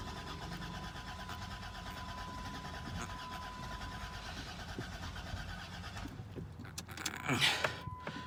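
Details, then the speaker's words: 2002 Dodge Grand Caravan Sport 3.3L, died after running low on fuel, won't start even after adding five gallons: starter cranks steadily, sounds about to start but never catches; crank no start. "and that's all I get so as you can hear it sounds like it's about to start but it doesn't"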